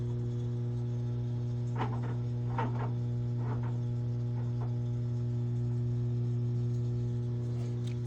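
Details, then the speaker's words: Whirlpool stacked washer that wasn't draining or spinning: steady low hum with an even buzz, no grinding or gurgling, as the drain pump comes on; normal drain pump operation. "now the drain pump should turn on there you go"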